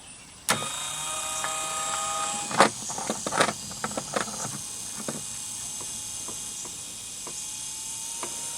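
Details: Ryobi 18V One+ 4-gallon backpack sprayer motor, on the bench during teardown, runs after freeing an internal friction bind by hand; clean hum with whine stepping in pitch as the variable speed control changes, no grinding; normal motor running.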